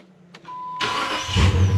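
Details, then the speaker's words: 2006 Dodge Magnum AWD 5.7 Hemi after replacing the faulty starter: key-on chime, short quiet brisk crank, engine catches almost instantly into a deep steady rumble; normal cranking and start. "Key on. Oh, yeah. Barely even hear it. So much better."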